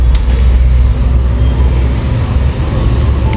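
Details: Suzuki SX4 petrol engine idling with a deep, uneven rumble and occasional dips. It is an intermittent misfire, shown on cylinder 4 with an exhaust pressure transducer and traced to a faulty spark plug; the plug is to be replaced.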